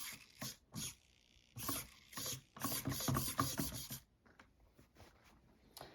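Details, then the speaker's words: Axial SCX24 RC crawler after an Amazon steering upgrade with aluminum steering parts and an Emax servo, much faster and more powerful than before. Quick bursts of gear-motor whirring sweeping side to side, crisp stops, no grinding or skipping; servo working properly. "oh wow and that steering servo is much faster and way more powerful that uh so that part of it's really good"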